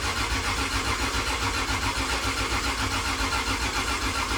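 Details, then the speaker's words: Freshly rebuilt 2JZ engine in a KE70 Corolla cranking on the starter to build oil pressure: sluggish, labouring churn dragged down on each compression stroke, high compression straining the borrowed battery. "It's got a lot of compression because this battery is what come out of the VN, and the VN cranks over so fast. This thing, she's struggling to turn it over."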